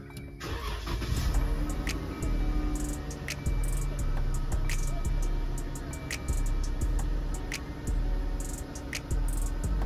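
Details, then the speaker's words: 2013 Jeep Grand Cherokee after replacing the crank position sensor for a no-start: brief crank, catches at once and settles into a steady even idle; normal start and idle. "as y'all seen car cranks up with no problem now"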